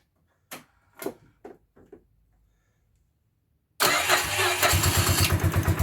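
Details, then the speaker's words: Bombardier Quest 650 ATV started with the side cover off just after fitting a new Gates G-Force C-12 CVT drive belt. A few clicks, then it fires into a steady, even pulsing idle with no belt squeal or slap; normal. "All right, so before we put the side cover back on, we're just going to start it up, make sure everything's looking good"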